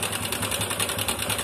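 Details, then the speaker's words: Honda Supra 125 motorcycle at idle: busy metallic clatter of a slack cam chain, since the weak cam chain tensioner (spring possibly worn or nearly broken) pushes back out when revved. "Namun setelah digas, pengangkat rantai kam justru kembali ke posisi atas. Oke, mari kita coba, teman-teman. Suaranya berisik, kan?"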